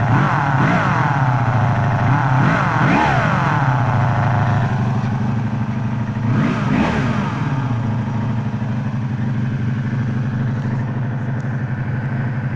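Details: 1984 Honda Magna V30 V4 idling and revving: raspy buzz and clatter rising and falling with revs, from the clutch/crankcase area; rest of engine smooth and runs well, cause unknown.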